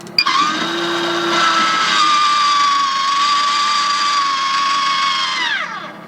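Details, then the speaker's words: Maxxair roof fan after warranty motor replacement (previously squealed at 10–20%): smooth, even whir at low speeds 10–40% with no squeal or rattle; running normally and much quieter. "All right, so that's 10, 20. That's so quiet. It's so much quieter now. There's 30, 40."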